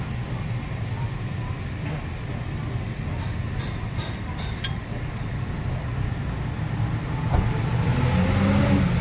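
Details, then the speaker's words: Toyota Grandia at idle after replacing a torn drive belt, caused by a failed idler bearing, with an original Toyota belt and new idler bearing; steady even idle, no squeal, chirp or bearing growl; belt noise gone. "Original drive belt. Ito yung packing nya. Wala nang ingay yan."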